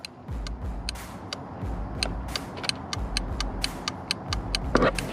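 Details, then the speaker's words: Subaru WRX STI with Subispeed V2 Redline sequential LED headlights, aftermarket Dewhel adjustable flasher turned up: crisp, even ticks well over two per second over quiet engine hum, hyperflash-like fast turn signal rate. "look at the speed of it i could turn it up faster i could turn it to hyper flash or i could turn it down slow"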